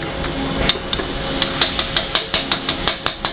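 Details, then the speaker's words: Bad bar stock, warped and distorted: quick uneven metallic clicks as the bent machined part rocks on a flat surface. "this part is Warped and distorted"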